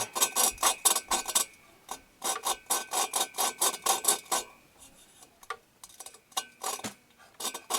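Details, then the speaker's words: Valve lapping on a 1974 VW Super Beetle cylinder head: even back-and-forth rasping strokes about twice a second, now smooth with little grit left, indicating the valve is lapped in and seating. "to me kind of feels smooth don't really hear as much grit anymore"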